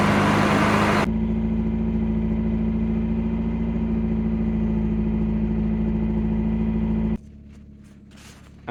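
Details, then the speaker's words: 1989 Volvo 740 GL saloon sat in a field at least three years, turned by hand first, no coolant in it: short burst of cranking, then it catches at once and settles into a steady, even idle with no misses or knocks; starts normally. "started straight up like it's in use every day so um good news terrible for Content"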